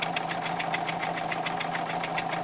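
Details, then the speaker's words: Renault 1.5 dCi diesel with Delphi Euro 3 injectors idling: sharp metallic knock about seven times a second, from combustion gas blowing past a loosely clamped injector seal, not engine damage; thicker sealing washer needed. "поверьте звук довольно таки напоминает металлический стук [аплодисменты] вот видите стучит"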